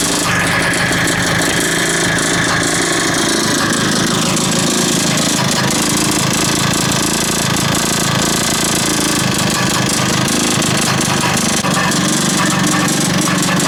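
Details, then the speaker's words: 1980s Mountfield AV85S two-stroke lawn mower buzzes steadily with a faint, uneven knock under the running note; cause unknown, owner wonders if something underneath is loose. "we know that it does run and we know that it runs it's got a bit of a knock I don't know what that knocking is"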